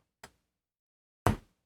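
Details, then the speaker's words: Raspberry Pi Sonos-style amp with TPA3116D2 board waking from sleep to external input: two sharp thumps a second apart, second louder, against silence; speaker power-on pop, which turning analog volume down first could mitigate. "The speakers are popping. I don't want the speakers to pop."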